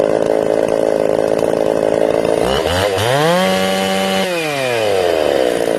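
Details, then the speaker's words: Ported Jonsered 630/266 chainsaw, tuned and warmed up at about 110 degrees, cutting wood: revs sag and drag, slower than a stock saw, pitch recovering unevenly; it won't hold tune, crank or bearing failure suspected, not confirmed. "this is me putting it in the wood you can hear it struggling like slower than a stock saw struggling i did two cuts and that was it guys i knew something was wrong"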